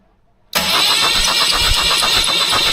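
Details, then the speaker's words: 1976 BMW 2002 freshly assembled engine cranked on starter once oil pressure built: even clean rhythm with no knocks or grinding; tone changes and turns cleaner with oil pressure up. "You can hear it turn really nice and clean when the uh when it's got the oil pressure. A difference in the a difference in the tone of it."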